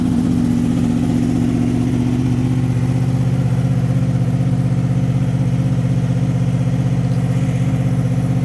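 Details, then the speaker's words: 2005 Honda VFR800fi, 33,000 miles, cold start after sitting 3 days at 55°F: smooth, even low burble with a steady pulse, no knocks or rattles, holding constant speed; healthy cold idle. "This is a cold start. Hasn't been run in 3 days. It's 55 degrees out. Starts up nice and"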